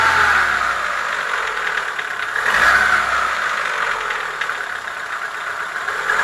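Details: Chevrolet Lacetti 1.6 engine revving and settling to idle: light, fairly regular metallic tapping; piston knock, cured by boring the block and replacing the piston group.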